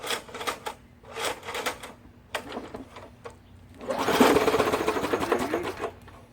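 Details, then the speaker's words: Old MTD 3 hp, 20-inch push mower on a cold start: pull-start yanks, then a short, rapid, ragged clatter as it tries to catch and dies; owner thinks he hears backfiring, and the spark plug is found bone dry. "see it sounds like i don't know if i'm not hearing it right but i keep thinking i'm hearing backfiring and we've already heard it run"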